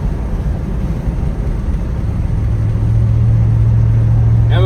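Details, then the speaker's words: Truck with a 4.8 LS V8 and misfires: under a hard pull it gives a loud, raw, deep drone that swells with load, from an exhaust leak awaiting welding. "It'll give you a nice little pull of this exhaust leak."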